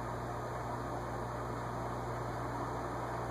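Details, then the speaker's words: Envirofan Gold Line 136F-7 36-inch industrial ceiling fan, early 1980s: a steady low electrical hum under soft airflow that was loud from the start and doesn't grow as the solid-state speed control is turned up (0.19–0.38 A); motor hum caused by that control. "It's not getting louder. It started out loud. That's interesting. It just started out, you know, because it's not unbearable now, but it still doesn't pass fluorescent light test."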